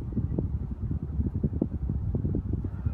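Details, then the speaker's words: Panasonic FM15E6 seven-speed ceiling fan at top speed after replacing both capacitors: soft, steady low whoosh of moving air with no more rattling. "So that's no more rattling sound and now tonight onwards I'll be able to sleep soundly."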